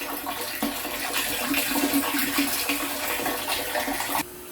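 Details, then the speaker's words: Off-grid RO reserve tank, float switch issue: steady splashing hiss of water pouring in that stops abruptly as water reaches float and RO is shut off; normal tank filling. "And you can hear the water start."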